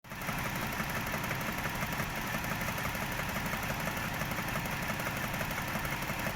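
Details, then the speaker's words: Toyota 1JZ-GE at idle: light, fairly regular tapping about three per second over steady idle; knock source unclear, others advise checking camshaft bolt tightness; unconfirmed. "Где-то здесь постукивает."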